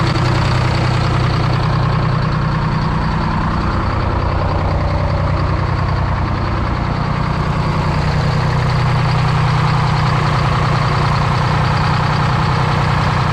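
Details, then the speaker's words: 1973 Peterbilt 352 cabover with 12V71 Detroit two-stroke diesel, first start after sitting since 1986, an injector stuck earlier, no coolant in it: deep even idle whose rpm creeps up on its own; owner unsure, suspects something trying to hang. "i didn't like that you hear that rpm increase i'm not sure if maybe we're trying to hang one"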